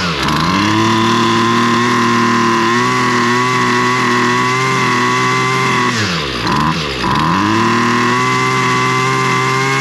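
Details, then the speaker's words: Husqvarna 128LD trimmer that only runs with the choke on, fuel line good, primer bulb changed, run on choke after drying off and priming: the buzzing two-stroke holds unsteadily and sags hard twice, reluctant to run; moisture in the cylinder is suspected. "but I'm going to see if that just helped right there, just getting gas to it. She's not really wanting to."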